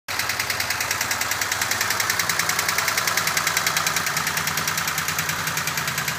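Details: Peugeot 304 engine at a steady idle: sharp, fairly even metallic ticking about three times per second rides on top; cause not pinned down.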